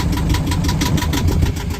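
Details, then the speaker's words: Yanmar diesel on the boat Sarabi, first start, settling to tick-over after running about 600–750 rpm; slight rhythmic rev bounce but steady and even, unlike the bouncing idle when bought; charging 14.5 V; normal idle. "And then let's listen how it settles down. You see, see the bounce, you know, that really is I mean that's a tick over in a way."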